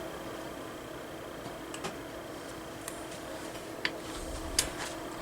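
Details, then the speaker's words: 1999 Patton U2-1887 18" high-velocity fan with a McMillan PSC motor: steady hum with scattered light clicks. The poorly balanced blade is coming loose on its hub. "hear that little clicking sound as it spun down there that's it being loose on the hub that's scary"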